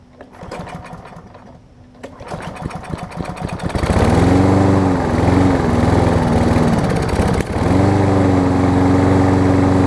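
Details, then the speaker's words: Kohler-engined Lawn Boy mower that starts only on starter fluid and won't restart without it: a sputtering, uneven catch on starting fluid, then a wavering single-cylinder drone. A minor carburettor top-jet clog is suspected. "I did not think that was going to start like that it almost sounds like the choke sounds like there's a very minor clog"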